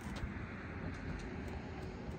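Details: Toyota 4Runner driving after the tape hood-latch fix: only steady road rumble, no clicks or rattles from the front end; hood now sits quiet and secure.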